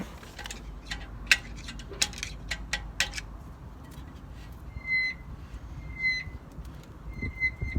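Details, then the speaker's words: BMW 3 Series handbrake being adjusted, wheel turned: light high squeaks in short bursts as the handbrake shoes just start to rub the drum, adjuster then backed off slightly. "Okay, so that's just starting to rub. I can just hear it starting to squeak. So I'm going to back that off just a little bit."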